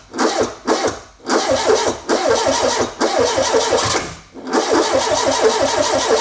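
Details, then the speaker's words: Renault 5 GT Turbo, first start attempt in 5 years: starter churns in repeated bursts and the engine coughs and nearly catches but won't run; the fuel pump had no power. "Sounds a bit dry. It wanted to go then. It spluttered the first time, didn't it?"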